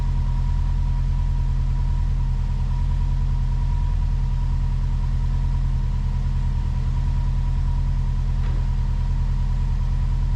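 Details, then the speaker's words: Subaru boxer at idle, crankshaft sensor reconnected: even, steady low rumble with no knocks or ticks; runs smooth and healthy. "Runs smooth like a cat. Really smooth."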